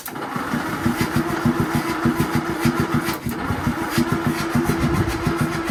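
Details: Land Rover Series 2A with rebuilt engine on makeshift wiring loom and gravity-fed fuel, carb throttle just freed from seizure: steady starter churn about three and a half beats a second for six seconds, never firing; cranks but won't start.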